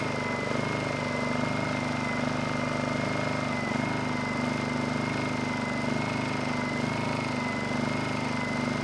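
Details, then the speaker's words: Honda EU2000i generator after a fuel-leak carburetor repair with new needle, started first pull on choke; steady, even drone with a constant high whine, no hunting or misses; normal running, making power with no carb leaks. "finally this thing fired right up first pull engine sounds good and it's making power more importantly we don't have any leaks on the carburetor"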